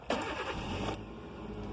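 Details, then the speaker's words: 2005 Kia Picanto with an intermittent no-start caused by oxidised immobiliser antenna coil connector terminals, here during a working cycle when the lights come on. Short cranking, quick catch, even idle: a normal start. "see like now the lights come on and now i'll open the door again just to compare like would like it's going to crank and start now"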